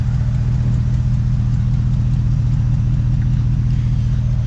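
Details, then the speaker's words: Truck after Black Widow 250 install, back home after a drive with check engine light on: deep lumpy V8 rumble with uneven beat, owner thinks it is running on only about 4 cylinders. Misfire, cause unknown. "It didn't die, but it's only running at like 4 cylinders, it sounds like. I'm not really sure what's going on."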